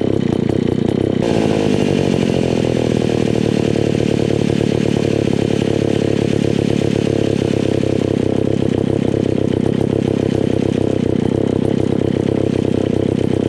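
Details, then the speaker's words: Old Alpina Pro 120 chainsaw, 120cc, after a carb kit (HS-144B carburetor): it buzzes steadily with a rough, uneven edge. Fuel seems to leak from inside the carburetor, apparently only at idle, not when running; a worn piston and low compression are suspected. "when it's actually running i don't think it's leaking at all it's just when it's at idle"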